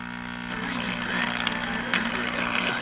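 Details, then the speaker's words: Unidentified cheap TRF tube radio of uncertain make powered at 120 volts: low, steady loud buzzing hum under crackly noise; owner suspects two filter capacitors are needed. "That thing's still humming like a son of a gun. I really think this needs two filter capacitors."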